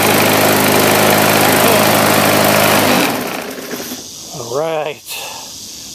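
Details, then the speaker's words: Bolens mulch mower, just repaired after a carburetor primer plunger failed to draw fuel, now running and cutting grass: small engine at a fast even beat, then cuts off, with rough shaking vibration; owner suspects a bent shaft. "the lawnmower yeah things are a bad vibration I think it's got a bent shaft that's why I got it so cheap but hey it still cuts the grass and it's good enough for my yard"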